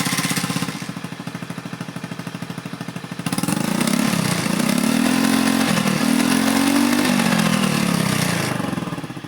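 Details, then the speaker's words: Honda Beat FI injection scooter after replacing a weak part, pressure now 40 psi, injector 3.0 ms: starts easily, revs rise and fall cleanly on throttle with no delay or hesitation; previously hesitated. "Oke di starter sudah gampang dan dia saat j digelintir rpm-nya juga langsung naik tanpa ada Delay atau nyendat"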